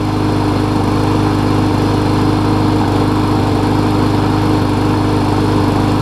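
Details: Murray mower with a 21-inch blade after a replacement engine swapped onto its deck (original shaft sheared), now ready for sale: a steady, even single-cylinder beat with no misses or knocks; normal running.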